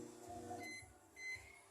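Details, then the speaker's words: Brastemp Ative microwave heating a cup of water gives a harsh, steady buzzing hum like a running freezer; typically a magnetron shorted to its casing, though the transformer is also possible. "já falei até que no canal né que a maioria desses barulho feio nesse micro-ondas é às vezes um magnetron em CTO com a carcaça né"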